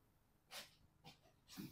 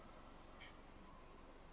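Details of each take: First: Fiat 500 after a thermostat replacement for overheating. The coolant bleed nipple screw is loosened and coolant topped up, and three short soft hisses are heard as trapped air vents from the cooling system through the open bleed nipple. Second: 2013 Fiat 500 warm idle after thermostat replacement: quiet, steady, even beat with no stumbles or knocks. The fan has cycled, the thermostat is open, the hose is hot and there are no leaks; running properly.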